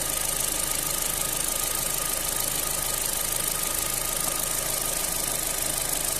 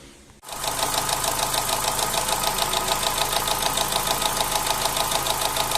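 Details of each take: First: Opel Z16XER engine after repair of knocking camshaft phaser gears (new gears) and low oil pressure, warmed up to 107°: even quiet idle with a soft steady hum and no knocking; repair successful. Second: Opel Z16XER engine with camshaft phaser (variable valve timing) gears rattling: hard regular tapping about three per second over an uneven, shaking idle, after years of brief start-up knocking; oil pressure measured about 1.1 warm, 1.6–1.8 cold; phaser valves removed and replaced.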